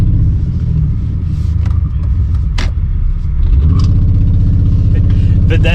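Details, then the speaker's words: Mistreated BMW e46 running on raw-smelling fuel, catalytic converters and O2 sensors removed, driving under load: a deep, raspy, pulsing blat, louder than stock; horrible exhaust. "exhaust is horrible it's not a bad car it was just mistreated"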